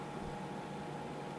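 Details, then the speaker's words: IBM PS/2 Model 80 stored unused for months: only a steady soft fan whir with a faint thin tone, no hard drive spin-up; owner suspects stiction or a loose cable. "uh-oh uhoh I only hear the fans going that's not good honest guys this is a this is actually raw footage I'm not uh I didn't plan this but my hard drive isn't spinning"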